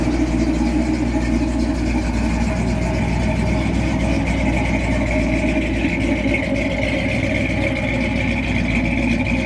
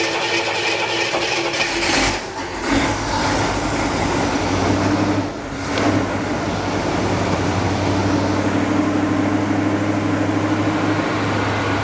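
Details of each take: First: Barn-find 40-year-old Jeep J10 Honcho petrol engine after 20 years sitting, with rebuilt carburetor and tune-up (plugs, wires, coil); accelerator-pump return spring still missing: even, steady idle with no stumble or surge; normal idle. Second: 1978 Jeep J10 Honcho carburetor: runs fast and uneven, hangs high instead of returning to idle; weak accelerator pump spring, temporarily zip-tied, and weak throttle shaft return spring; needs new accelerator pump spring.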